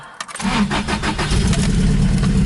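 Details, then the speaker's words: 1986 Toyota pickup, 160,000 miles, brand-new carburetor, manual, pedal pumped twice before cranking; a brief crank then an immediate catch into a strong, even, loud run through the stack, a normal cold start. "fires right up pretty loud with a stack right behind your head"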